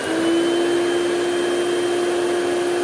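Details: Two-speed Hoover Celebrity QS (Quiet Series) vacuum, power head not plugged in, on high speed: a steady high whine holding one even pitch with smooth airflow, no wavering or rattles; normal running (owner notes some bearing noise at wind-down).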